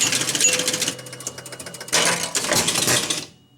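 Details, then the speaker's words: 1976 Gottlieb Target Alpha electromechanical pinball machine: rapid clatter and relay chatter with a steady low buzz as the left pop bumper sticks down, its coil left energized and burning. "okay did you see that left pot bumper stuck down did you hear it buzzing that was it trying to burn"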